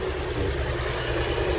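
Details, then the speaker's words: Hyundai Elantra at idle, running on three cylinders with no fault codes, engine opened twice without fixing it: uneven lumpy idle with irregular low thump and stumbling beat from the exhaust, misfire. "Осылай көлік істеп тұр міне, перевоймен. Осы глушительден уже 3 цилиндрмен істеп тұрған белгісі бар да. Ана глушительден өзінің дауысы бар."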